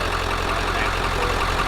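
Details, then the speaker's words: 1997 Ford F-250 4x4 7.3 Powerstroke diesel after no-start repair: steady, even idle with smooth low rumble and clean injector clatter, no misses or stumbles; classic healthy 7.3 sound. "But as you guys can hear, this thing sounds awesome. Got classic 7.3 liter sound."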